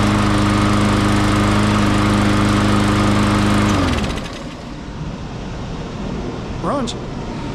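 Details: MTD push mower with a Briggs & Stratton 550E engine that blew oil everywhere: the small single-cylinder engine runs steadily for about four seconds, then dies after losing oil.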